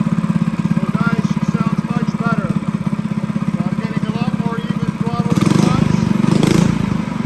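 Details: Honda GX200 clone single-cylinder petrol go-kart engine, newly built, carb jetted and being drilled out in steps: even, quick, steady firing with no misses or knocks; runs normally.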